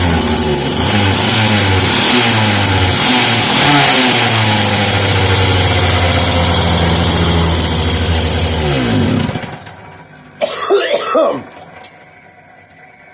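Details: Homelite 330 junkyard chainsaw after reassembly with new handle, on bench: fires and runs on its own fuel at a fast, buzzy, even beat about nine seconds, then cuts off cleanly; runs healthy.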